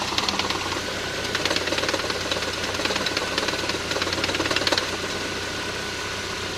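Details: Engine knocking on an MG F: sharp light knocks about four a second, fairly even, over a quiet idle; cause not known.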